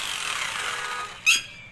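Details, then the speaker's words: Hammer drill that kept stopping mid-run, after repairing the faulty forward/reverse switch and rewiring, back cover refitted: high, even motor whine with no stutter or cut-outs, then clean stop; normal running. "ये बिल्कुल सही चल रही है, इसमें कोई परेशानी नहीं है।"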